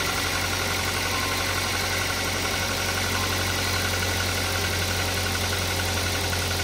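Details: Toyota Avanza at idle, odometer ignored as unreliable: busy, fairly regular knocking about three per second; timing chain quiet at start, mechanic suspects piston knock, engine to be torn down.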